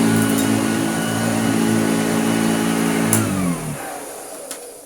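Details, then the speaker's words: Hoover Junior U1034 vacuum as found, unrefurbished, plugged in for its first power-up. Smooth, even motor hum with a steady whine that holds pitch and winds down cleanly after switch-off: normal motor run. "sounds phenomenally good in fact i can we can verify that with this which is actually it's sister"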